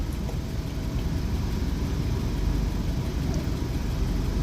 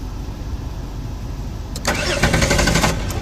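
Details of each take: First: Jeep Wrangler Sport that died on the road with crank-no-start, now running after fuse/short-circuit fault tracing: steady, even low rumble with no knocks or misses; normal idle. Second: Jeep Wrangler Sport crank-no-start after dying on the road, check-engine light on: starter churns steadily but engine never fires; no spark, relay fuse blows from shorted wiring being traced.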